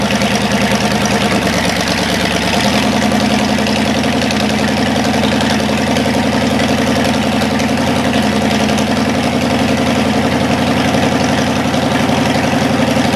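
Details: Cadillac 390 V8 after sitting 8 years with coolant added: steady, even idle with no knocks or misses, a little high while still cold and not yet tuned; runs well overall, though the water pump leaks.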